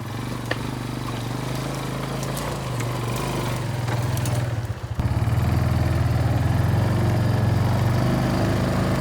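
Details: Barn-find Kawasaki Bayou 220 ATV on test drive after repairs (filthy carburetor cleaned, new battery, oil and air filters, rear right wheel bearing and seal): steady single-cylinder putter dropping briefly then picking up evenly under throttle, no knocks or rattles; running really good.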